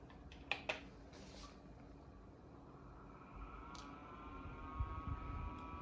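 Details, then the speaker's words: Dyson HP09 Purifier Hot+Cool Formaldehyde (Japanese unit) at fan speed 3: button clicks, then a loud, thin high-pitched motor whine climbing as it spins up, although the airflow itself is quiet. A new unit is quiet at the same setting; this motor needs repair. "So right away you hear this whine, right? It's very loud. Very loud. So even though it's only fan speed 3, and the actual air in the fan is very quiet, you can't hear it. Sadly, the motor itself has this very annoying, loud whine."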